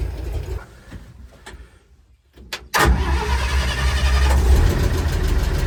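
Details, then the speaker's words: International R-170 4x4 truck after repair work: the starter cranks briefly, then a steady, even low idle of about 300 rpm with a deep regular pulse; it sounds as it should apart from a noisy valve. "Oh, and she talks now. That's how they're supposed to sound, other than the noisy valve. And she idles down to about 300, it sounds like."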